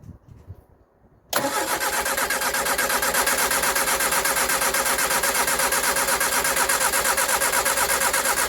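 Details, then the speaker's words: 1967 Triumph Spitfire MK3 abandoned project, first cold start: catches after a couple of seconds and runs busy and lumpy, especially at idle, a bit better with revs raised; needs a tune-up, owner plans to strip and clean the carbs. "It was a little bit lumpy there, especially on idle. Um, when I picked the revs up, it seemed to be a little bit better, but it still definitely needs a bit of a tuneup."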